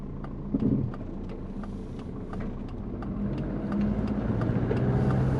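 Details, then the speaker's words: Twin-turbo Subaru Forester with GT35 turbo, driving at light load, 83 degrees, transient throttle not yet enabled, after tune corrections: quick, uneven chirping flutter about four a second over engine drone; runs better but turbo flutter remains, cause not yet found. "we're running a lot better but we still got that turbo flutter so we've got to figure that out"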